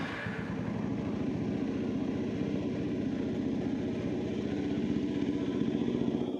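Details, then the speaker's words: Kawasaki W250 single-cylinder with aftermarket exhaust, kept deliberately soft-sounding at the owner's request; a soft, even, muffled thump at idle, with beats staying steady and unbroken as the revs rise, a healthy running engine. "Nah, jadi seperti ini suaranya. Tetap suaranya adalah suara khas mesin 1 silinder. Jadi suaranya emang nggak terlalu keras banget karena sang pemilik memang menginginkan motor ini tetap bersuara lembut, hanya tampilannya sedikit lebih bagus."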